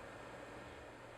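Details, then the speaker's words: Power Mac G4 MDD, dual 1.25GHz, fitted with Verax dampened fan set, redesigned heatsink and slower power supply fans: low, even airflow hiss with faint steady tone, no buzzing, less clashing frequencies, much quieter than stock "windtunnel" G4; normal fan noise. "But you can hear already that this G4 sounds much lower. The frequencies are less clashing, and if you hide it under your table, you probably would not even hear it's there."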